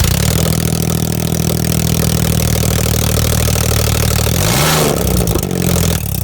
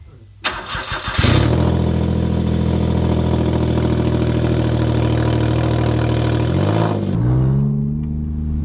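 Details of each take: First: Smart Car engine revved on new homemade open extractors before the merge collector is fitted: loud raw bark at high revs with deep rumble, then pops and some flames as revs drop. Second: Smart car after custom lightweight exhaust: deep, even throaty drone, no rasps or leaks; sounds better than stock.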